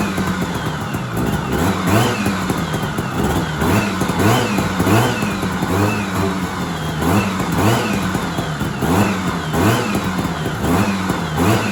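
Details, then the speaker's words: 1970s Sno-Pony snowmobile, JLO 340 twin two-stroke, sat 20-30 years, rusty tank cleaned; crisp revving up and dropping back cleanly, no knocks or rattles; engine sounds good but won't pull fuel, diaphragms possibly bad. "so it does not want to pull gas, but at least it runs and the headlights even work. That's crazy. The engine sounds good."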